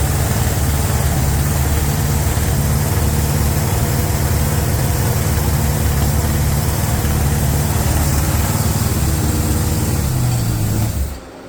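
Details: 350 small-block V8 being broken in on a Larin engine run stand: steady, deep idle with an even rhythm, shutting off cleanly near the end, no knocking or ticking; normal idle.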